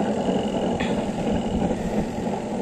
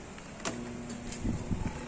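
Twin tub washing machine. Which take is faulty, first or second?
second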